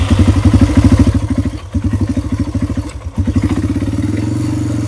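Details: Yamaha Timberwolf 250 ATV after long storage, single cylinder putting along at idle with an even, slightly loping beat that steadies and settles; running normally, and the charging system raises battery voltage from 13.15 to about 14.4 V.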